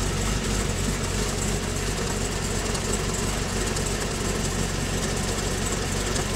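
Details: Pontiac G8 V8 with TSP 225/230 114LSA .618-lift cam, DOD delete, TVS1900 Magnacharger, stock exhaust, tuned to 650 rpm idle, cold with fans off: low loping idle with an uneven chop about three times a second, otherwise smooth. Healthy cammed idle.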